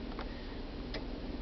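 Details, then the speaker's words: 1999 GMC Yukon 4x4 after replacing the dash 4WD switch (Service 4WD light, stuck in 4WD) with a Dorman 901-130: cycling 2, auto, neutral, 4 low gives two crisp clicks about 0.75 s apart; transfer case actuator engaging normally, service light no longer on. "engages into 2, goes into auto, drop us into neutral, go to 4 low, and you can hear the 4-wheel drive engage and disengage, and so it's working fine."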